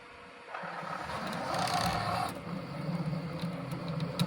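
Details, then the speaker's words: EIBOS Dyas filament dryer: a nearly new ASA spool scrapes and binds against the acrylic baffle mounting pieces, giving an uneven dry scraping over a low motor hum. "This is a nearly new roll. This is uh just some ASA. If I feed this in, kind of hear it scraping on there."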